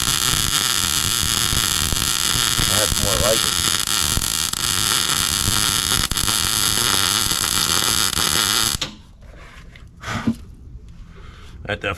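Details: MIG welding while repairing a broken brush hog for a Massey Ferguson 40 tractor: even, crackling buzz holds steady for several seconds without sputtering, then cuts off; smooth, stable arc.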